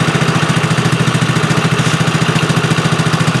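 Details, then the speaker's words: Tao Tao four-wheeler ATV, after replacing a missing wiring loom and not running for seasons: steady even putter about three and a half beats a second, idling smoothly and healthy. "good though doesn't it well you want to get her put back together no sounds real good"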